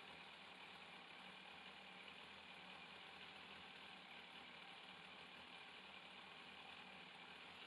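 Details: 2002 Yamaha FZS 1000 Fazer four-carb engine, warmed up, during carburettor synchronisation with vacuum gauges, tank removed: quiet, even idle with steady hiss, no hunting or stumbling; carbs balanced, normal idle.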